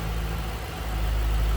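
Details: 2007 Ford Mustang Shelby GT coupe, 4.6-liter V8 with cold air intake, 5,228 original miles, hood open: deep, even burble at a steady idle, no ticks, misses or knocks; sounds healthy.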